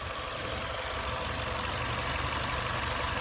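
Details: 2003 Nissan Altima crank-no-start: steady cranking churn pulsing about three times a second, never catching; owner has checked crank and cam signals at the ECM and gets all signals, cause unknown.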